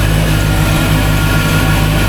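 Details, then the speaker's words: Volvo Penta 5.0GXI boat engine idling just after a fuel pump replacement, quieter than ever, with a faint repeating high chirp over the idle, suspected to come from a pulley that needs cleaning. "This is the quietest this motor has ever been. It sounds like I have a chirp from a pulley now."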